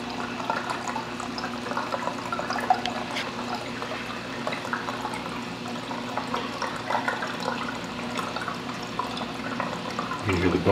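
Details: Bean Animal style aquarium overflow just after the return pump is switched on: continuous bubbly gurgling and sloshing as air is pulled through the pipe, lasting about 1 to 1.5 minutes before the full siphon drain line kicks in and goes silent. Normal startup gurgle.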